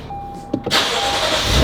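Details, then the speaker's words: Lexus RC F V8, 45,000 miles, started right after an oil change with the engine cover off: brief starter whirr, then it catches and settles into a strong, smooth idle, no knocks or rattles; healthy, no leaks found. "Hear that V8 purr."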